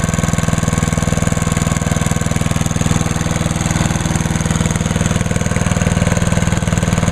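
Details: Idle of a small single-cylinder (1986 Lawnboy 8461 or 1998 MTD chipper/shredder) started on choke at half throttle, oil checked, TruFuel in the tank; even, deep thumping at a steady rate with no misses, stumbles or knocks. Running smoothly.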